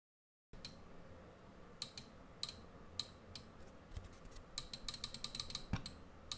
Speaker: So hear the clicking noise of the relay.